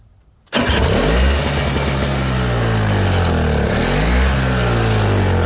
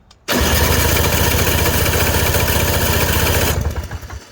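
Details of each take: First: Toro CCR 3650 two-stroke snowblower after primer bulb replacement, electric-started after priming: starts quickly after a short silence, settling into a steady, even drone rising and falling slightly with throttle; running healthy. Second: Toro CCR 3650 two-stroke snowblower after new primer bulb fitted, fuel added, electric start before priming: starter spins engine at steady chug, about four beats a second, for three seconds without catching; cranking without starting, not primed.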